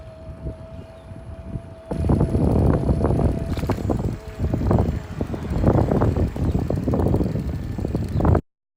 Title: VanMoof Clicking Sound #VanMoof #S2 #S3